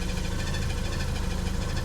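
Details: Porsche 944, off the road five years, just restarted after replacing parts at the back of the engine, radiator leaking: rough, lumpy idle with a quick, regular high chirp over it, described as budgie-like; chirp source not yet identified.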